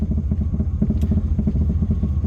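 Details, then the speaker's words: 1978 Pontiac Sunbird Formula, parked about 10 years: uneven, loping idle with pulsing low thump wavering as if about to stall, like a big cam; knocking is the exhaust, charging under 13 volts. "can never tell if it's going to stall or if it's just like goinging sounds like a motor with a big cam"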